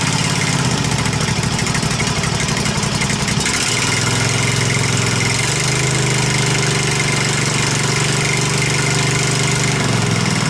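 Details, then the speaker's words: Husqvarna Z254 zero-turn mower engine after ignition coil replacement, run briefly with the shroud off so cooling air isn't flowing through; small engine settles into a steady, even idle after a quick speed change, no knocks or misfires, sounds pretty good. "now sounds pretty good you don't want to run it much longer cuz it ain't got the stoud on it so the wind's not blowing through the motor right"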